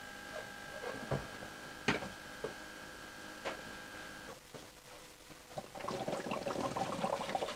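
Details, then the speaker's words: 2017 Ford Ranger 3.2 diesel after fuel filter replacement, microphone beside the tank, ignition on: faint fuel pump buzz with irregular gurgles and bubbling as trapped air is pushed through while priming. "did you hear all those gurgling noises as the air gets compressed and pushed through the system"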